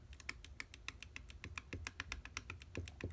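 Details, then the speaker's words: Mercedes 190SL Solex carburetors, throttle shaft rocked by hand: quiet sharp clicks about four a second showing loose play; throttle shafts and bushings on both barrels of both carburetors worn out. "Big issue is, of course, wear on the throttle shafts and the butterflies."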